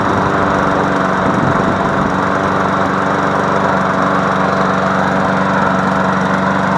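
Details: MTD Yard Machine push mower after fixing no compression by adjusting the valves: steady, even drone at constant speed for seven seconds, no misses, knocks or surging; runs healthy.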